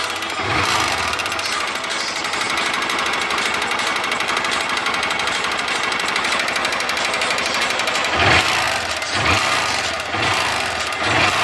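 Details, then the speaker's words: Honda Titan 150 motorcycle engine noise: fast metallic clatter over a busy single-cylinder engine, sharper on throttle blips; slight play in the connecting rod, a light rod knock. "Tá só assim a bielinha, velho. Só um estraladeirinho."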